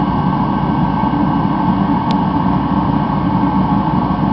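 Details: Rebuilt Mr. Heater Contractor Series torpedo heater, thermostat set low in summer, running about a minute: steady, even roar of fan and flame with no surging, popping or sputtering; burner running properly at full output.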